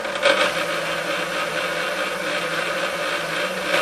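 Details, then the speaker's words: KitchenAid K5SS solid-state stand mixer before restoration: runs and shifts but steady motor hum with faint gritty grind and clacking in the gearbox, smells like a hot motor; suspected old, non-lubricating grease. "Yeah, I can hear that little bit of grindy. And I think that's probably just old grease being old and non-lubricating."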